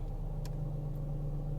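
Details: Peugeot 407 with EW7A petrol engine, during a no-start diagnosis involving a burnt connector and a damaged fuse box: smooth, low steady hum with an unchanging beat and no ticks or misses; idling cleanly.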